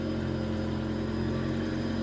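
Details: 2007 Nissan Wingroad WEY11 QG15 after replacing the fuel pump connector with its burnt negative terminal; pump run by scan tool with the wiring shaken gives a steady even hum with no dropouts, normal operation.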